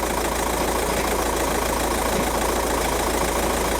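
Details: 2006 VW Jetta TDI, 1.9 BRM diesel, with low-boost code P0299, heard from underneath the car: diesel idle with a loose, uneven clatter beneath the steady chug; worn dual mass flywheel rattling.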